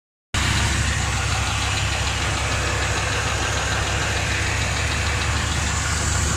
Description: Very quite ticking noise coming from around oil pan or transmission